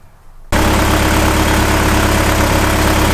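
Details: 1986 Toyota 4Runner first start after fiddling with fuel resistor, O2 sensor and mass airflow connectors: engine catches and settles into even steady idle, no misses or knocks; cause of earlier no-run unclear.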